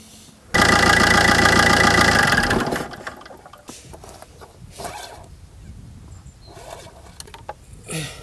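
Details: Fiat 500 1.3 Multijet 75 hp diesel (2009), first start after an engine oil change (3.5 L 5W30) and new oil filter: brief crank, then the engine catches with a loud, even rush and drops to a quieter, steady idle. It starts cleanly.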